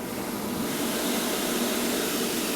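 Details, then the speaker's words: ABB demo rig: drive simulating mains running motor and fan, throttled by partly closed mechanical damper; steady even rush of air with slight flutter, no tonal hum, turbulence, slightly reduced volume. "You see there's some turbulence, the balloon's struggling a bit, but it's under control. Bit of reduction in volume."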